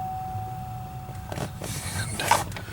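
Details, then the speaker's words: 2006 Pontiac Solstice climate control blend door actuator motor after repair (previously only full heat or none): thin steady electric whir for about a second, then soft clicks as it moves a little each notch; operating normally. "each click is moving it a little bit."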